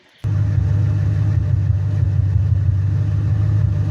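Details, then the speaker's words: 2000 Ford Mustang 4.6 coil-per-cylinder, heard at the exhaust at idle: deep rumble with uneven lumpy pulse from one cylinder misfiring, persisting after tune-up with no codes stored. "este carro trae un mix fire amigos mi cliente me lo trajo le hicimos la afinación pero el míster sigue y el problema es que no tenemos ningún código"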